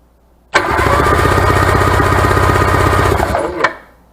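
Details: Abandoned Sea-Doo GTS 587 two-stroke jet ski after used top-end rebuild: starter cranks strongly and evenly about three seconds with steady pulsing rhythm, normal cranking.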